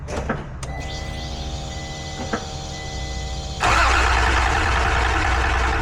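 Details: NSX with the supercharger removed, on a Haltech ECU, cranked while checking for spark with a spare Audi coil on cylinder six: steady electrical whine, then even starter cranking. The engine never catches, with wiring or spark still suspect.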